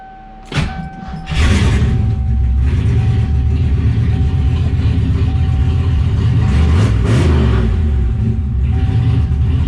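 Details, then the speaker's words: 1988 speed-density Ford Mustang Foxbody, GT40 stock block with a DIY On3 turbo kit. First start after fitting 24 lb injectors, no tuning. Rough catch, then a steady, even low rumble with clean revs and no misfire; runs pretty good. "we'll check for some leaks real quick actually runs pretty good"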